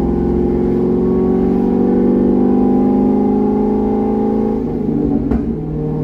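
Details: C6 Corvette with aggressive camshaft and long-tube headers on a revised HP Tuners tune, driven at part throttle: smooth, steady V8 drone pulling evenly at light throttle, no stumble or misfire; clean running, decent street manners, idle tuning about 80% done.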